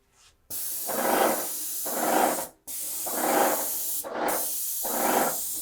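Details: Titan Impact X 120 cordless backpack airless sprayer spraying waterborne Renner cabinet finish with a 312 low-pressure tip: steady high hiss in three long bursts, swelling as the gun sweeps past; normal spraying.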